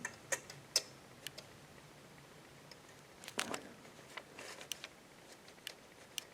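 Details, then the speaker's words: Ratzuki Pro Street drag bike, restored and not yet started: faint sharp clicks as the throttle moves, the roller micro switch on a custom throttle ramp engaging at half throttle to activate the nitrous; normal. "hear that right there barely hear it okay at half throttle that's when i activate my nitrous"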